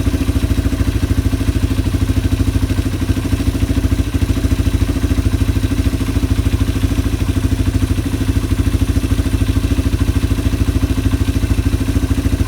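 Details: Yamaha ATV (four-wheeler) carburetor just cleaned, reassembled and float-adjusted, no fuel from overflow; engine idling to clear leftover WD-40 from the carb. Steady, even single-cylinder putter, about three beats a second, no misses or hunting: normal idle.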